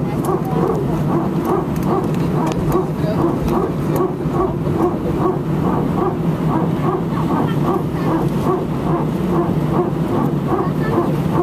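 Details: Air France A319, flight AF2487 Sofia to Paris, 15/01/2012, recorded from cabin seat 18F while taxiing before take-off: steady run of short, dog-like barking pulses at an even quick rate over cabin rumble; strange repetitive barking, cause unknown.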